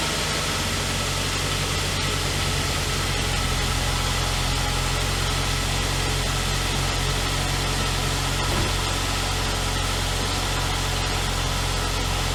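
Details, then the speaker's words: 2003 Saab 9-3 convertible, first start in six months after cabin and engine air filter changes: quick, uneventful start into a steady, even idle with smooth low drone and no knocks or misses; normal. "well that was quick uneventful that's how she usually starts up every year it's just a little like three or four clicks"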